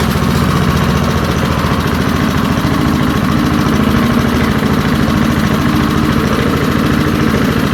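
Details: Early-1970s BF Goodrich push mower, a barn find that sat for years with a seized engine, now freed and running outdoors after carburetor diaphragm work: a steady, quick, even popping beat with no knocks or surging. Normal running.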